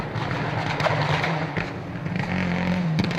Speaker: Well, you heard some anti-lag, but when he's got on the power, that's just a massive misfire.